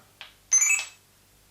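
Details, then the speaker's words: Kodak Printomatic instant print camera after button-jam repair: faint tick, then a crisp shutter click and short high whirr of about a quarter second as the picture is taken and processed before printing; normal shutter operation. "Right. That noise was me taking the picture, and I think this means it's processing the flashing lights."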